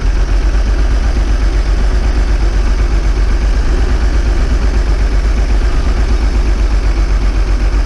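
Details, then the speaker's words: Old bus diesel, cold start after last week's fuel pipe move, started without easy start: deep, heavy idle about four thumps a second, slightly uneven, smoking cold; air drawn in where the fuel return is all wet. "What I found this week is not everything is dry. Around the return is all wet."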